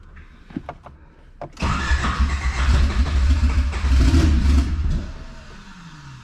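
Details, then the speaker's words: Car starting on a new street tune with fuel raised about 15%: it catches after a few weak cranks, runs rough and uneven for about three seconds, then fades. Tuner suspects injector dead-time settings; a valve adjustment followed. "sounds like something's going weird with the dead times so i'm gonna go check [ __ ] out real quick"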